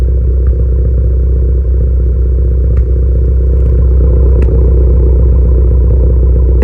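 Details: Modified turbo car (PRL SRI race MAF, PRL intercooler, downpipe/frontpipe, Greddy Supreme exhaust, tuned) with P0300, P0301, P0304 codes: deep lumpy idle with occasional sharp pops every second or two; possible misfires, unconfirmed.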